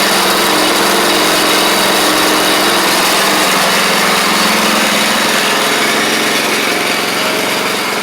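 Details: Troy-Bilt Pony riding mower, first start of the replacement engine on fresh gas after the seized original was swapped out: single-cylinder settles into a steady, even buzz, no knocks or misses; runs smoothly, though it smoked out the garage.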